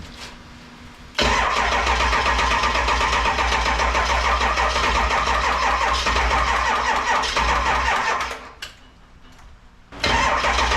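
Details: 7.3 Powerstroke diesel swapped into a 1951 Ford shoebox with standalone wiring, cold start in Minnesota, smoking: starter cranks briskly, then drags slower without catching as the charger trips out; battery supply sagging, slow cranking.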